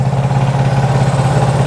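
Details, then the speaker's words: Honda CB360 twin warming up after cam chain, valve, points and static timing adjustments: even steady low throb with quick regular pulse, no knocks or rattles; strobe shows timing still slightly advanced. "as you can hear she's running she's running pretty good actually sounds really nice"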